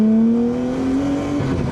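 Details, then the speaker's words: Nissan Skyline R33 RB25DET with new high-flow turbo, untuned, boost kept under 12 psi, test drive: engine note climbs smoothly through the revs, no rattles, hiss or flutter. Normal acceleration, boost comes on much stronger. "Oh my God. There is so much more power with this turbo. I didn't hit over 12 psi. I'm doing it under. You can tell that the boost comes on so much stronger."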